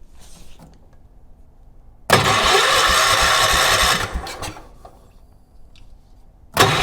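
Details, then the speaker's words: 1980s ORVCO Transtrack UTV running old drained fuel: two starter bursts of a couple of seconds each, and the engine never fires. Ignition was not connected, so there was no spark; with spark restored it still wouldn't start. "Nothing. Oh, no spark. Duh. Oh, what an idiot."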